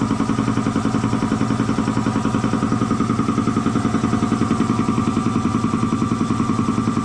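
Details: Air compressor slowing down after an oil change to synthetic oil, first thought to be tying up: pump thumps steadily about three and a half beats a second, slow and laboured; a way-loose drive belt, tightened afterwards, then worked fine.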